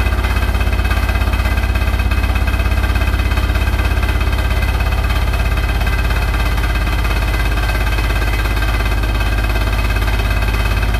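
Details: Hotpoint NSWR843C washing machine on its final 1200rpm spin: a deep, steady roar with a fast, even rattling throb; rattling really loud, cause not confirmed.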